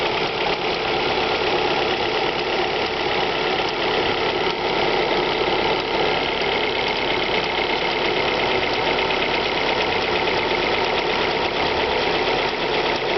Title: Alfa Romeo 156 1.8 TS ticking engine noise cold start